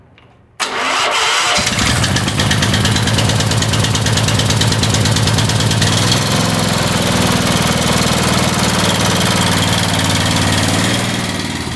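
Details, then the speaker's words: Small gasoline power washer engine, after diesel was accidentally put in the fuel and cleaned out, catches and settles into an uneven, lumpy, wavering idle; leftover diesel makes it rough at first, no motor replacement needed. "run a little bit rough at first gonna take time plus side of it is you didn't have to replace the motor just gonna do a little bit of cleaning and it'll run again"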